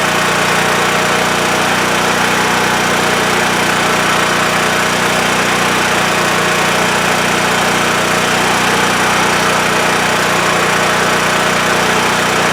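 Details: WEN TF1450X 14500W tri-fuel generator, repaired after cutting out at 20 seconds with lost spark: steady, even drone at constant speed, no surging, sputter or cut-out; running normally, display shows 232 volts.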